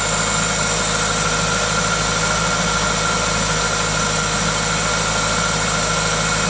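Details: Toyota 2ZZ-GE engine: smooth, even idle with a steady hiss from the aftermarket induction kit, no knocks or ticks; normal, healthy idle.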